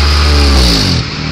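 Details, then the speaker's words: 2005 Acura TSX with aftermarket GReddy Evo2 exhaust revved hard then released: rough raspy note; suspected exhaust leak toward the rear, not the catalytic converter, unconfirmed. "look like coming from the back doesn't look like the cat's the problem"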